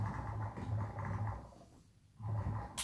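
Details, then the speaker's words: Low motor hum from a cheap airbrush compressor keeps droning, fades slowly after switch-off, then restarts; not stopping promptly as it should, owner suspects it is on the way out, possibly frosting up. "if I turn it on you can just hear it ticking over a little bit and it keeps going keeps going"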